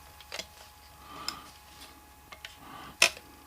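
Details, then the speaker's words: Hi-fi CD player after refitting the drive belt: a few light, crisp clicks about a second apart as the tray pulls in, cam lifts the deck and clamps the disc and the switch turns the motor off; loading mechanism working normally. "You've grabbed spindle and you've turned motor off. Right, so motor's off. Then you turn it on bit control. This arm here lifts the deck up, the tray, as well as the cam lifting that up and releasing the disc."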